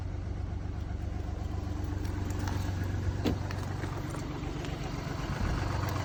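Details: Mini Cooper D three-cylinder diesel at idle, uneven with a loose irregular rattle riding on the low thrum, two to three a second: worn dual mass flywheel, which holds the clutch springs; judders after clutch lift.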